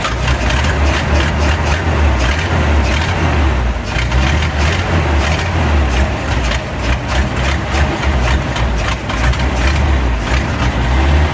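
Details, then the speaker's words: 1950 Chevrolet COE 5400 truck six-cylinder after replacement head (old one cracked), rocker lash set, carburetor rebuild and fuel pump swap, starting with gas shut off overnight: loud, steady low rumble, firing evenly without misses or knocks; smooth, healthy run. "It runs pretty smooth. We'll fire it up here shortly and give you another taste of that sweet 6-cylinder running."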